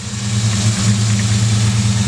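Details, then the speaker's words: 1999 Ford Ranger petrol engine at idle: the low drone wavers and dips as air leaks through the vacuum hose connector under the throttle body on the driver side; it smooths out when the hose is held. "it sounds worse so so what happens i don't know if you guys actually noticed that that well but that is exactly what the problem is so this hose is leaking air"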